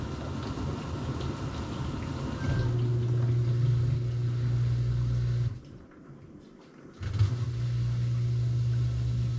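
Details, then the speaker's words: GE GDF520PSF6SS dishwasher drain pump after removing a chunk of plastic that was causing grinding: low steady pump hum with a brief pause, no crunching or rattling. Normal drain pump operation. "all right it is pumping and it is not [Music] crunching we have success"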